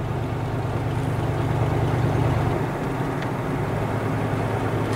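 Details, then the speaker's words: 1984 Chevrolet Caprice 5.0 V8, test drive: under steady road noise a deep, loose thump repeats about three times a second; otherwise a very quiet car; source not pinned down. "Kyllä, paitsi nyt jos liian kovasti ajaa hidastessa, niin tosiaan kuuluu semmoinen pieni... Tai kovinkaan pieni, se aika massiivinen se ääni, mikä kuuluu semmoinen, kun ottaa rengas kiinni."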